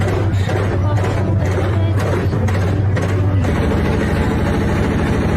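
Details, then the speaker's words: Haier 15 kg top-load washing machine during spin: loud heavy rumble like a passing train. "Hire the machine ਆ 15 KG ਦੀ ਇਸ ਤਰਾਂ ਵਾ ਜਿਸ ਤਰਾਂ ਇਹ ਕਪੜੇ ਨੀ ਰੋੜੇ ਤੋ ਰਹੀ ਆ ਠੀਕ ਆ ਵੱਟੇ ਦੀ ਦੀ ਗੜੜ ਗੜ ਗੜ ਜਿਦਾ ਰੇਲ ਗੱਡੀ ਫਾਟ ਤੋਂ ਦੀ ਆ"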